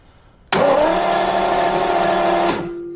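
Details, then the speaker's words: Classic car with Lucas electrics, stored over winter: about two seconds of steady starter cranking with no firing; crank no-start, owner suspects ignition, with a weak spark seen although plugs are one season old. "I think it's definitely spark related, even though it looks like I have it, because I removed one of the plugs and these are just one season old."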